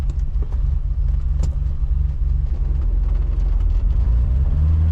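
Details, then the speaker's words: BMW E28 535is M30 after replacing a burned ignition wiring loom that caused a low-RPM misfire and stutter: steady low engine rumble pulling away from a dead stop, with no stumble or missing at low revs. "So, I guess that's it. It was the wiring loom. I guess I just burned it up going on that mountain run. But now she's running absolutely perfectly."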